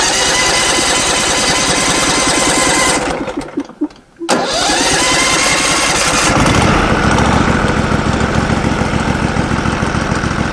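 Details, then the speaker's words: Norwood LumberMate portable band sawmill engine, sitting all winter, battery just hooked up: cranks and catches, briefly drops out, then settles into a steady even idle; normal idle after storage. "it's always good to run them a little bit you know get them keep that gas running through that carb or something"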